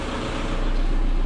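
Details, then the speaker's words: Seat Ibiza 1.9 SDI diesel with a fuel-supply fault below a quarter tank: after 10 litres of diesel (just under half a tank) and a refilled fuel filter, it restarted and now idles evenly with no misses, hunting or surges. "Et on est bien d'accord que là elle tourne nickel et que elle est, avec mes 10 litres, ça a mis à peu près la moitié du plein."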